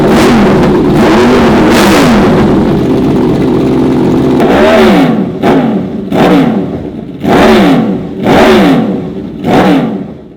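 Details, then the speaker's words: Honda VFR/CBR hybrid V4 with custom LexTek dual exhaust, warmed up after oil top-up and fresh coolant; steady idle then five or six crisp throttle blips rising and falling cleanly; healthy, strong-running. "All right, guys, so I have to say the dual exhaust with this V4 engine, that sounds freaking amazing. Not too many street bikes sound like the V4 engine at all."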